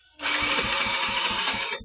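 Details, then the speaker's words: Motorcycle hard starting: short high starter whir with a few slow compression thumps and no firing; won't start on one click because of weak electrical current (spark), suspected faulty ignition part. "so mga bale mahina yung kuryente niya hindi siya basta na lang aandar"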